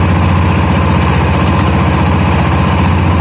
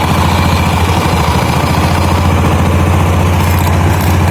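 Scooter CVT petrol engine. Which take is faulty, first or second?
second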